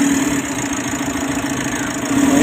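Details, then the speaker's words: Mitsubishi L300 Euro 4 diesel after alternator bearing and carbon brush replacement and cleaning: smooth, steady idle with faint even hum, no cough, squeal or grinding; the earlier noise is gone. "na. Wala na yung ubo. Good!"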